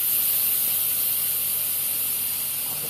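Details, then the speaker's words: Instant Pot-style pressure cooker after the water test, valve moved from sealing to venting for quick release: loud steady unbroken steam hiss without sputtering or spitting, normal venting until the silver pin drops. "so remember it's on sealing that we want to go to venting so we're just gonna move it to the side"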